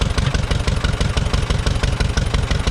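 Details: Auction-bought Allis-Chalmers WD-45 gas-engine tractor: even, steady firing pulses at a moderate pace, no misses or knocks. Normal idle.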